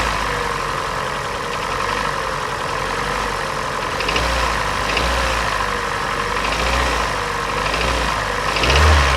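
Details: Hyundai G4NA engine at idle with blips: hollow knock about three to four beats a second, louder on blips; teardown found scoring in cylinder 3, piston slap; engine to be resleeved.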